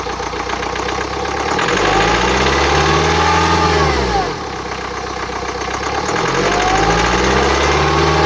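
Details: 2009 BMW X1 xDrive, 2.0 diesel N47D20D, 130 kW, 224,000 km: starts and revs twice, a whistling howl rising and falling with engine speed over the idle, indicating turbocharger damage.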